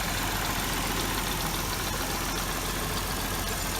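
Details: 2006 Hyundai Tiburon 2.7 six-speed manual after replacing hydraulic lash adjusters, timing belt and water pump: even, steady idle, ticking about 90% gone, slight remaining tick suspected from injectors and throw-out bearing; valvetrain sounds quiet and healthy, normal idle.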